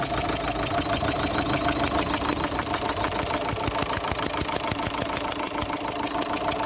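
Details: Opel Zafira 1.9 CDTI diesel at idle: sharp regular ticking chuff about three per second over diesel clatter, compression escaping past injector number 2; copper injector seal needs replacing. Injector seal compression leak.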